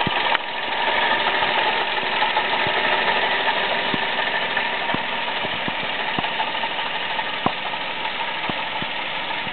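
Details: Toyota Aygo at idle with scattered light ticks and a faint rough whir, from a worn water pump found by a mechanic; the noise at first came only when cold, not warm, then grew more frequent.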